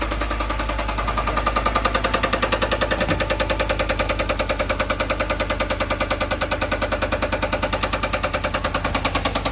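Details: 2013 Ford F-150 6.2-liter V8 running with a heavy, hammering knock, about three blows a second; engine being given a general overhaul due to the knocking.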